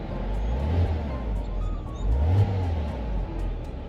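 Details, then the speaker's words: 2002 Porsche Boxster, just bought, given a light rev at idle: deep flat-six rumble with a brief blip rising and falling smoothly, no ticks or knocks; owners hear nothing wrong; normal. "I can't hear anything wrong with it."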